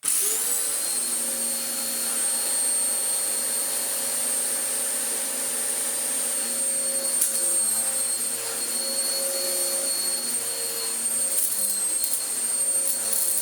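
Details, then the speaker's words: Vax Power U84 upright vacuum whose belt kept running off centre; brush roll removed and refitted with a brand new belt. Steady high motor whine at an even pitch with no slipping or flapping; the reassembly seems to have fixed it, normal running. "So far, so okay. Whoa. I think just removing it and putting it back together has solved it"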